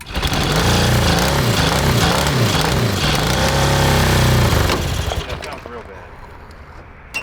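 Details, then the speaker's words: Cross kart with a 1982 Honda CB750 DOHC 750cc engine, rebuilt top end, running on old plugs including a previously fouled one. Chugs unevenly at low revs with stumbling and popping, then fades; rough misfire, plugs suspected. "horrible sounds awful yeah we've been having this problem in the past with the other engine"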